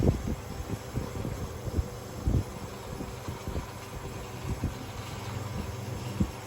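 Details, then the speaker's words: Oiled 1970s/80s Limit Ariel 12-inch oscillating desk fan, round-grille model, on high at about 84 W; motor hum with irregular scraping knocks as loose winding insulation over the centre catches the rotor. "but basically the bit that'll cover up over the centre, like this, is loose on one of them, like on one of the sides is loose, and it's catching against the rotor and causing that noise."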